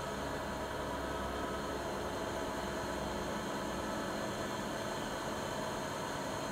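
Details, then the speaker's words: Siemens iQ300 washing machine (labelled WG41A1X1TR 9 kg 1000 rpm, also described as 10 kg 1200 rpm) on its 13-minute spin program, about 72 dB while spinning and not silent. Steady, even whir and smooth hum, no knocks or scraping: normal spin cycle. "Öyle bir durum yok yani, sıfır sessiz değil. Sıkmadayken 72 desibel sesi var."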